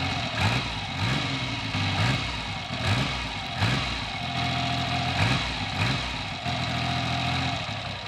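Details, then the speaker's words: Triumph Trident T150V triple, first start in over two years, points and carburettors untouched, one carburettor rattling: steady idle with a slow, gentle rise and fall in beat, running evenly without missing. "i promise no tricks there that is exactly what i got after over two years and it's standing idle"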